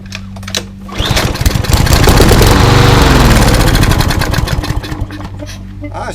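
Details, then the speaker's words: Craftsman 247.374410 mower with a Briggs EX engine, good spark, fuel primed by hand: catches with a quick even putter, runs a few seconds, then dies. Fuel starvation suspected; owner suspects old gas diluted with fresh. "it's time to shoot some juice in there and see if it'll pop over"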